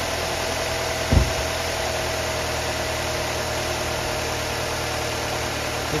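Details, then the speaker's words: 2002 Pontiac Grand Am, 2.2 Ecotec, 106,000 miles, at idle after a spark plug tune-up: a steady, even idle with a smooth low hum under light fan hiss. The earlier ugly tick is gone, and the engine sounds normal. "The ticking went away. There used to be a tick in here that sounded pretty ugly. Sounds pretty good, don't it, for a 2.2?"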